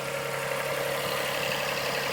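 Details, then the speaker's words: 2005–2008 Toyota Sienna van test-fired after spark plug change, engine shield still off: steady, even idle hum with no misses, stumbles or ticking; running smoothly. "here it is you can hear the engine running hopefully so smooth everything looks"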